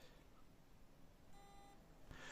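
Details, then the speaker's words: Hard drive, one of two identical models with fine SMART, beeps briefly at computer startup with a short chirp instead of spinning up normally, not initialized or detected in Windows; cause unknown. "сейчас покажу какая проблема при старте компьютера диск издаёт вот такой звук"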